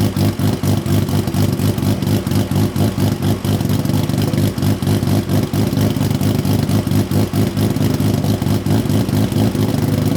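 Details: Built Nissan RB26 in an R32 GTR (fully ported/polished head, 260 Tomei cams), just fitted with a new loud exhaust and muffler: loud lumpy idle about two pulses a second with crisp rev blips, no knocks or rattles. Normal idle and revs.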